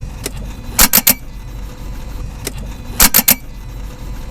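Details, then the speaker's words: Car that makes sharp dry clicks in quick bursts when starting, with no cranking; concluded from a rough battery check to be a weak battery, not instrument-confirmed. "สรุปว่าอาจารย์startแล้วมีเสียงดังแต๊กๆของรถยนต์คันนี้นะครับเป็นเพราะแบตเตอรี่ไฟอ่อน"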